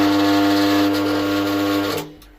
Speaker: अभी आपने देखा दोस्तों, बहुत ही ज़्यादा आवाज़ कर रहा है ये, और आवाज़ बहुत ही अटपटी और बेसुरी सी लग रही है।